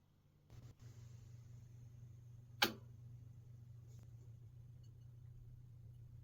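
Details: Peavey Classic 30 II valve amp with JJ valves: warmed up 2 minutes, then standby on, and 3–5 minutes later a ping is followed by a steady low background hum. PCB flux residue was found on disassembly: amplifier hum fault.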